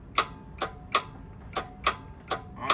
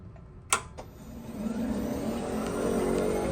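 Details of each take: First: Club Car DS 48 V golf cart, key on, gas pedal pressed: sharp repeated solenoid clicks, about seven in three seconds, but no motor sound and cart does not run. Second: Club Car DS 48-volt golf cart that would not run (solenoid clicked): after the loose wire was reconnected and tightened, key on and forward selected, a couple of clicks then a smooth rising whir as the cart pulls away; the brief spark on connection was normal, and the drive motor runs properly.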